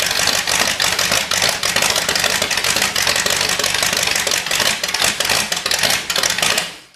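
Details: Carbureted Cadillac 390 V8 on first start after sitting 8 years, fuel pump off, intake primed with fuel, no coolant yet: busy, clattery chatter runs steadily for about six seconds, then dies away; it fires and runs.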